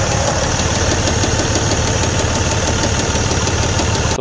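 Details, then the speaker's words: Detroit DD15 diesel after turbo runaway, turbo and injector replacement, and a full regen: steady, deep knock through the clatter from the engine bottom end; oil pressure low around 1,000 rpm, crankshaft damage. "this noise was uh coming from the bottom of the engine which is weird"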